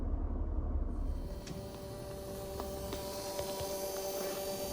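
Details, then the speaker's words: 31-year-old Mercedes W124 with suspected poor heater performance, 18 °C outside, 26 °C in the cabin: faint steady hum from the heater's auxiliary water pump running while the system calls for heat; normal operation. "so currently the system is calling for heat so the auxiliary water pump is running we can definitely hear that running"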